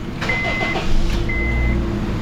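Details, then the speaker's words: Honda just after replacing all four spark plugs, no stored codes: steady, even idle with a smooth low drone, no misses or stumbles, a few chime beeps over it; still runs good. "Oh yeah, still runs good. No one ever felt it run rough."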